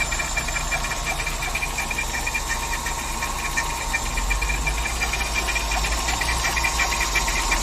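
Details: VW Saveiro G4 AP 1.6 idling with valve cover removed: fast, fairly even light ticking about three per second over the engine hum; owner suspects a pulley or timing belt related knock, source unclear.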